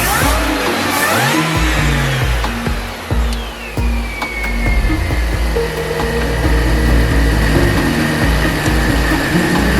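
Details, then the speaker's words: 2004 Mini Cooper S R53 with a years-long erratic surging idle, after a smoke test for vacuum leaks, warming to temperature: steady, even idle with no hunting or surging, smooth constant note; owner believes it is fixed. "I can't believe it. You hear it? It's sounding good. I think I'm done it."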